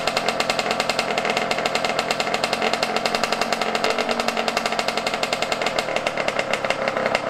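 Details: Yamaha YZ125 two-stroke dirt bike, about 20 degrees out and not yet warmed up, while the carb air screw and idle are adjusted: rapid buzzy crackle with pulses wandering in strength and spacing; carb out of tune, running off after being touched. Suspected, not confirmed.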